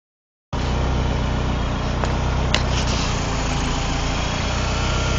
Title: 95 gst rough idle